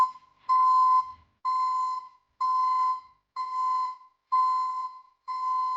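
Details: ECCO 530 backup alarm newly installed at the rear of a Chevy Silverado pickup: loud steady single-pitch beeps about once a second, like a commercial backup alarm; sounding as it should.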